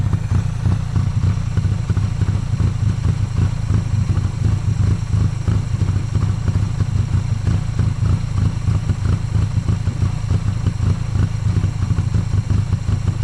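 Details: 1995 Honda Acty carbureted engine idling rough after jump start at 27°F, unused 2–3 weeks; uneven, lumpy low thumps about three per second, inconsistent firing, likely overfueling, heavy white smoke, gas from air filter and charcoal canister; owner suspects stuck carburetor float.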